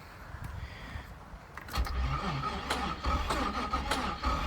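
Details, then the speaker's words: Trans Am under restoration, started on a jump box: uneven cranking churn near three beats a second before it catches, with an odd scraping note over it; sounds funny, cause unknown and still to be found. "Right? Doesn't that sound wonderful? I have no fucking idea what that is, so we're gonna have to figure this out."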